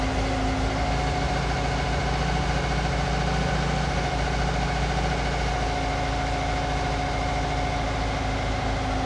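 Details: Weber 40 IDF carbureted engine after cleaning clogged idle jets and reassembly: steady, even idle with a smooth low hum and no stumbling or misses; clean normal idle.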